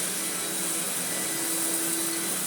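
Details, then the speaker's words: Hitachi Powerhouse upright vacuum (CV775DP/780DC), just after a new belt was fitted: steady motor whine, smooth even hum, no rattle or slipping; brush roll spinning, normal running. "Let's turn it on first. Oh yeah. Brush roll is spinning."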